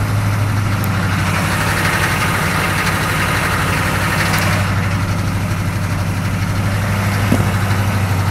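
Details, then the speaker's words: 6.2L diesel rough idle persisting after a new fuel filter: cold morning start, idles fine a few seconds, then heavy lumpy uneven idle before stalling; owner suspects air in fuel lines or cold, damp temperature, as afternoon starts are always perfect. "well apparently fuel filter didn't fix it just happened again kind of rough idle and then it conked out"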